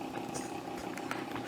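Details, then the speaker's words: Amiga 1000 power-supply fan, dirty, with a steady mid-pitched whir, faint higher whine and light rough chatter. Owner thinks the fan needs replacing. "it's interesting you can hear that noise from the fan so anyway i don't know if you can see how dirty that is"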